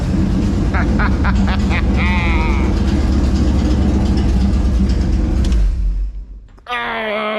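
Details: Dodge D100 long wheelbase, rebuilt engine with GM HEI module instead of Chrysler box, first run in 4 months, no radiator or coolant: catches and settles into an even deep rumble for several seconds before cutting off; normal start and run.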